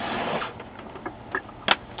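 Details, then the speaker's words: HP LaserJet 4P after replacing the broken motor drive gear: soft, even mechanical whirr with only a few light ticks, no grinding or clicking; printer repaired and running normally. "and now you have a repaired printer doesn't make the clicking sound [Applause] anymore much quieter no clicking ready to go"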